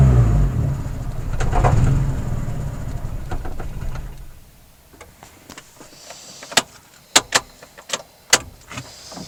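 Engine revs, then drops to an uneven idle with irregular stumbles and pops instead of a smooth steady beat. The idle is running rough.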